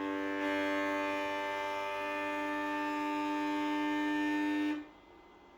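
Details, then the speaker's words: Sovol SV07 (Plus) 3D printer running a Klipper input shaper resonance test, axis shaken past 70 Hz toward 100 Hz: a steady buzzing tone with strong overtones that grows louder, then cuts off; faint table shake, nothing visible; normal. "You can hear the sound but there is actually nothing visible happening. We are past 70Hz. It's getting louder and louder."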